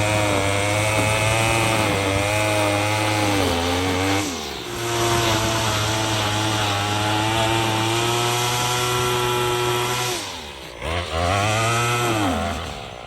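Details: Troy-Bilt TB22EC two-stroke string trimmer, a no-start after sitting unused, running after a primer bulb replacement: the high-pitched buzz revs up, drops back twice when the throttle is released and picks up cleanly each time, running healthy.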